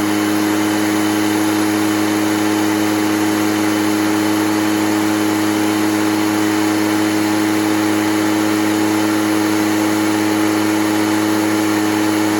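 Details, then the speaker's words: Echo PB413H two-stroke backpack blower on a new aftermarket Chinese carburetor with an NGK plug; steady, even high-pitched drone at full throttle with no surging or misfire; normal, close to the specified 6,400 rpm on the plug-wired tach. "Supposed to be about 6,400. We're close enough."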